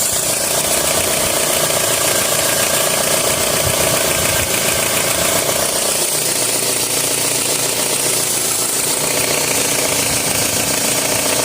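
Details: 2003 Toyota RAV4 at idle with a fast, uneven rattle, about three to four a second, over a loud hiss from the engine bay; cause not yet pinned down.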